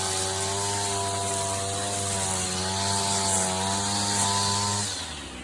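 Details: 39-year-old vintage Toro weed trimmer, Japanese-made small two-stroke, after freeing a stuck throttle cable, first run in years: even buzzy drone at steady speed, then a smooth drop as it shuts down, no misses; normal running.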